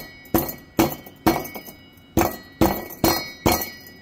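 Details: 2016 Tahoe 5.3 V8 with 140,000 miles, no check engine light: about eight taps on the driver-side catalytic converter shell, each followed by a loose metallic jingle from broken substrate inside. Borescope later confirmed it had separated.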